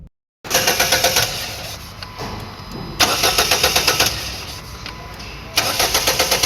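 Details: Crank-no-start: the car cranks but doesn't start, and sometimes dies after two to three kilometres. Starter spins the engine in three even, several-second bursts without firing; fuel isn't reaching the engine though fuse and relay checked OK, fuel pump supply being checked.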